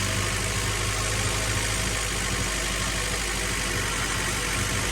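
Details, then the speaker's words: Integra GSR B18C1 after installing an ACT clutch and lightweight flywheel, first start after sitting: slow to start, then a steady, even, smooth four-cylinder idle without knocks or misses; normal idle. "yeah there we go you took a minute to start because it's been sitting for a while"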